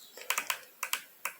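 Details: HHO hydrogen injector (not designed for hydrogen) bench-pulsed with 12 volts after unsticking: crisp, sharp clicks in quick pairs and singles, showing the plunger moves freely again.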